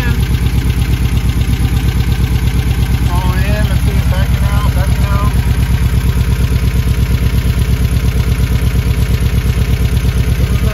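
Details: Dual Weber 40 mm IDF carburetors at an idle of about seven: a steady, even idle thumping at about 170 beats a minute that does not react to mixture screw adjustment; a clogged idle jet is suspected.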